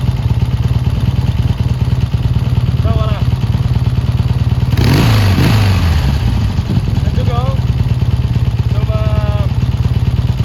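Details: Triumph T140 twin after fitting new carburettors and clamping intake air leaks: steady, even low thrum with a crisp regular beat and no misses or popping, running cleanly, never ran this good; normal running.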